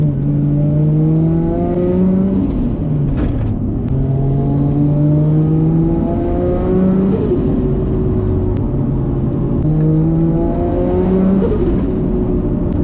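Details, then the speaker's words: Built R33 Skyline, RB25DET of about 550hp, test drive after a lifter repair: pulls cleanly, pitch climbing smoothly through the gears under boost with turbo flutter. No lifter ticking returns, so it runs healthy. "doing all that work has actually paid off so we're gonna go for a cheeky test drive this is that nice turbo flood and enjoy the cruise"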